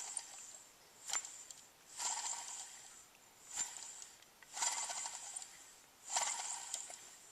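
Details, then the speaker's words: Alternator off 1995 Suzuki Sidekick (G16 1.6L), fairly new: hand-spun, rough gritty hiss fading as it slows; bearing noise, owner suspects dry bearings. "you hear that noise I don't know maybe the bearings are just dry I'm not sure all I can think of to do is take it apart"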